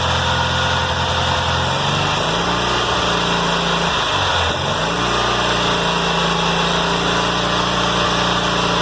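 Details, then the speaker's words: 1990 Cub Cadet 1882, Kohler M18 twin, after muffler repair, new air and fuel filters, new plugs and fresh gas replacing stale watery fuel: starts better, steady putter with one brief dip; normal idle. "Well, that sounds better. That's the starting a little better."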